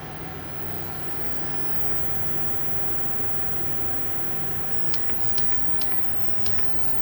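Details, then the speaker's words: Cheap Amazon induction cooktop heating a pot of water, power turned up to 10 in a large shop: loud steady roar with low buzzing hum; noise worsens as power rises, far too loud for a small van. "And the more you turn it up, the worse it gets. So that's a 10. It's not as bad in this big shop, but when you're in a tiny little van that's literally like 60 square ft."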